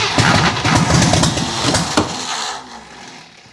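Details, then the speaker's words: Jeep CJ7, long-sitting possible project, oil pressure building while cranking, starter troublesome, unfamiliar new-looking carburettor: uneven bursts of firing for about two seconds, then it fades and dies; catches but won't keep running, fuel problem likely. "She wants it. She wants to run."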